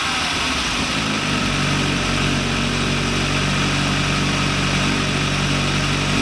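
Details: VW Lupo 1.8T (GT30 turbo) first restart after engine failure, rebuilt with H-beam conrods, new bearing shells and 2 mm thick head gasket: steady, even engine note with smooth busy exhaust, no knocking or rattles; runs very well.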